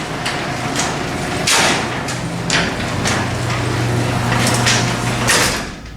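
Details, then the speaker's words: Garage door opener closing the door from the button. A steady motor hum under the door travel with repeated scraping swishes about every second; something is rubbing, cause unclear. "something sounds like it's rubbing"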